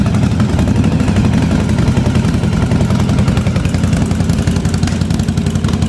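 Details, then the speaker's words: 1983 Yamaha Virago 920 V-twin barn find, idle after storage, spark plug just replaced, fuel leaking in places: loud lumpy stumbling idle, front cylinder cutting in and out, owner suspects fuel; rough idle, needs tune-up. "now going to try the idle got gas leing here and there I wouldn't say she's real happy about waking up"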